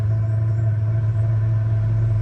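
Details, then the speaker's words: Chinese diesel heater in a 1997 Mazda Bongo Friendee, fuel pump off after system was disconnected: steady even low roar with no pump ticks, burning off excess fuel in the chamber; owner thinks air got in the line. "this is it burning away the excess fuel that's in that chamber and once it does this it'll start up fine the next time"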